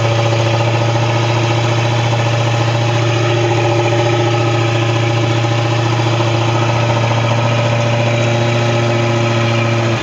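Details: Long-sitting Tahoe boat engine after a no-start traced to the breaker and a new impeller fitted: smooth, even idle, steady low hum, no misses, knocks or rattles; running healthy.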